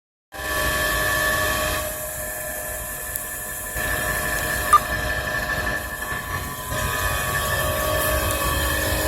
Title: Sound of bad motor bearing.